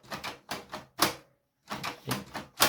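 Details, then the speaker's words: HP Photosmart 7260 inkjet printer from 2003, after adjusting and reassembling the paper feed fix, at power-on: regular bursts of mechanical clatter about every half second; paper now feeds and the carriage slides back and forth normally. "It feeds paper, so that's something weird. It never did that before. Yes, it slides."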